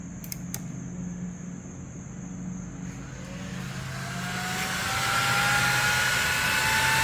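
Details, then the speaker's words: 2015 Harley-Davidson Ultra Limited with newly installed CoolFlow fan: engine idles low and steady, then fan spins up to a smooth, even whir moving plenty of air; fan running normally. "yeah, she's running. Yeah, she's really moving some air here."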